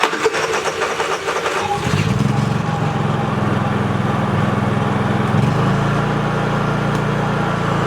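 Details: Dad's Honda 3000 generator after service, with the forgotten electronic piece plugged back in: cranks and catches within two seconds, then settles into a steady, even note with no surging or hunting; runs fine.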